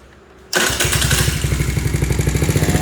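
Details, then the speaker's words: Taotao 49cc scooter after performance upgrades (CDI, exhaust, spark plug, air filter, carburetor, fuel intake): quick start then steady even putter at fast idle, rear wheel not turning at idle, no knocks; normal start and idle. "So you see how the performance go is when I started, that idling, the back wheel doesn't take it. So I think I did it right. But anyway, that's where everything's at. Pretty smooth."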